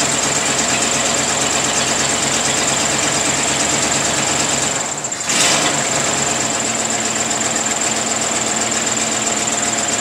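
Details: 1934 Ford sedan, rebuilt original 1934 flathead V8, first start in 30 years after distributor and coil rebuild, new plug wires, lubricated cylinders, fresh oil, temporary gas can, no priming or choke: steady, even fast patter with a brief dip; running normally after restart.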